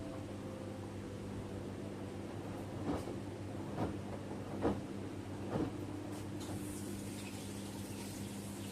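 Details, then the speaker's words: LG F2514NTGW front-load washer after replacing the noisy recirculation pump that stopped the door-seal water jet: soft even low hum with a few light drum knocks, no grinding or rattle; spray and circulation restored. "And now you can clearly see the water spraying from the door seal again. That confirms the recirculation pump was the issue. No more noise and proper water circulation is restored."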